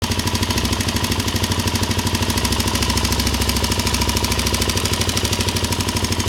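Rapid, even light ticking riding over the single's idle, keeping pace with engine speed; a top-end tick from the head, cause undetermined.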